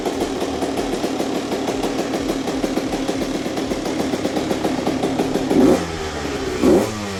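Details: Rebuilt Honda CR125 two-stroke with Pro Circuit pipe, cold start after sitting all day: crisp ring-ding idle, then two sharp revs that climb and drop back cleanly; normal idle and revving.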